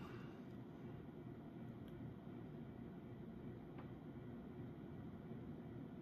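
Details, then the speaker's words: Early-1980s CEC-made Moss Heirloom Olympus 52-inch ceiling fan at full speed, about 165 RPM (motor rated 250): steady soft whoosh with only a faint hum; bearings good and normal running, far quieter than on variable speed. "Bearings on the fan are still in good shape. Motor still has a slight buzz to it, but definitely not as bad as when the variable speed is engaged."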